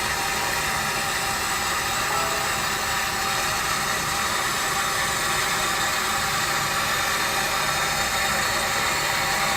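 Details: Elster AMCO positive displacement water meter under flow, about 75 dB on max hold: steady even rushing hiss with no knocks or rattles; normal running meter noise.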